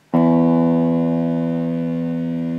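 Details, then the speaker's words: Orange Crush 35RT amp speaker, removed from the cabinet and driven by another amplifier: plucked guitar note with a faint raspy buzz from voice coil rub. "okay so I have my guitar plugged into the amplifier and we zoom in just a little bit and you can hear the buzzing sound when I plug the string"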